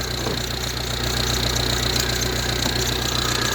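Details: Ford Transit Connect diesel just started with a jump pack: fast, light tapping over a steady idle, roughly three per second and fairly even, plus an alternator squeak; cause not yet pinned down.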